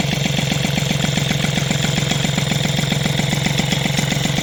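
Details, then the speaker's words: Two-stroke moped after replacing the SPX/RCX engine-mount spacer with polyurethane: a busy idle with a steady fast chatter on the beat, like something touching or rubbing; the source is unidentified. Rubbing noise at idle. "par contre il y a vraiment un truc qui touche j'ai un truc qui fait du bruit là je sais pas ce que c'est ça"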